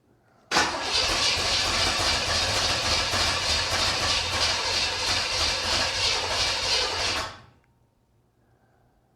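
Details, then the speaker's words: 1979 Corvette with a new crate motor on its first start attempt, sediment seen in the fuel filter: steady cranking at about 3.5 compressions a second for six seconds with no firing; owner suspects ignition timing is way off. "that sounds like she's way out of time all right we're getting"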